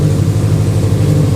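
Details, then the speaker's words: Fully built Subaru EJ25 flat-four after reinstall for suspected bent valve and metal in oil, just started cold, burning off residue: deep, even burble with no ticking or knocking; healthy settled idle. "Oh my god, it sounds so good."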